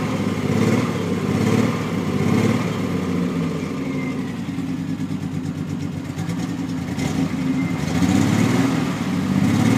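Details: Triumph TR6 six-cylinder; uneven, stumbling beat at idle with irregular dips as it revs, the rhythm never settling; misfire.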